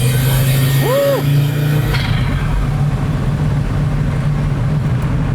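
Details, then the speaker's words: 1983 Audi Quattro turbo five-cylinder after rebuild with new K24 turbo, refreshed head and new clutch, first drive: strong engine drone under load with quick whistle rising and falling as boost builds; turbo spools faster than before. "It's faster than it used to be. Oh, yeah. Turbo kicks in quick now."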